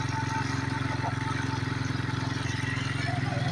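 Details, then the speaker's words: 1992 Suzuki King Quad 300 single-cylinder ATV, cold start on choke: even, fast thump holding a steady raised idle with no misses or knocks; normal choke running. "Nice high rev when the choke is on. This is exactly the way you want it to run when the choke's on, I guess."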